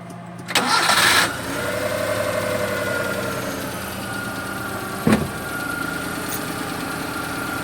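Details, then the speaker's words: Carbureted Suzuki F6A multicab, previously hard starting and misfiring, after carburetor and distributor cap cleaning and three new spark plugs: catches on one click and settles into a smooth steady idle. Finding: normal start and idle. "[Musika] Napansin niyo naman mga boss no one click and matining na siya so ang ibig sabihin nito ay nagamot na natin yung hard starting niya dahil one click matining na siya ba-bye"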